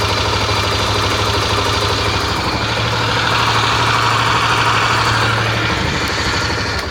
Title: ruido en el motor de tornado en caliente